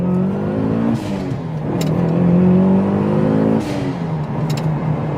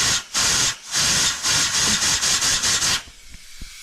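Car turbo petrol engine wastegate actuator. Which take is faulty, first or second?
second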